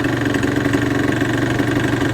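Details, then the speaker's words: Suzuki RG 125 two-stroke with long-standing poor running, noisy bottom end: idles with fast, slightly hunting pulse and thin hollow tone, flat at 5k; suspected of sucking too much air, lean; carb, jetting and crank bearings to check. "Right, instant thoughts. Flat at 5k. It sounds like it's sucking in too much air."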